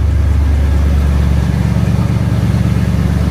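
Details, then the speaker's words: 1990 Chevy Caprice LS Brougham throttle-body-injected engine at idle just after start, with a loud deep exhaust rumble and uneven throb from a broken muffler held on by a strap; the owner thinks it also sounds like a vacuum leak. "It does got an exhaust muffler broken."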